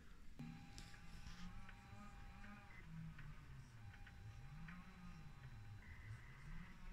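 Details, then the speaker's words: ZX Spectrum +2 cassette drive after repair, case fastened back down: steady thin whine with gently wavering low motor hum as the tape motors turn evenly; normal cassette drive running, machine then loads perfectly. "and now you just button up the ZX spectrum and you just fasten the case down and then it's just a normal and you can hear the motors are working so we're going to now just try again"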